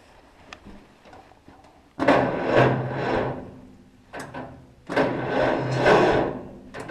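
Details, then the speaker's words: Cockshutt 40 tractor parked 2–4 years, on a borrowed battery, fuel turned off because the float valve isn't seating, tried without choke. Two sluggish, labouring cranking bursts that never catch; slow cranking from poor battery cable contact. "Okay, we just lost contact. Yeah, that cable there I'm not happy with."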